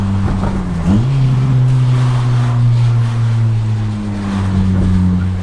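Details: 25-year-old Honda Prelude without VTEC, after fixing a trembling metal part that was touching: engine revs up smoothly then holds a steady, even drone with no rattle or knock; sounds healthy.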